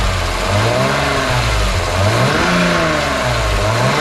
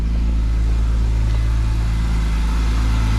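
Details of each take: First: BMW E46 M3 S54 engine warming toward 75°C oil, revved in slow cycles: coarse rumbling rattle in the mid-revs that gets louder as it warms; suspected VANOS rattle. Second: BMW E46 M3 S54, dead cold start, full service history to 90,000 km and none since: deep, even, smooth idle with no ticking or rattle, sounding normal. The owner suspects a VANOS knock from dirty oil.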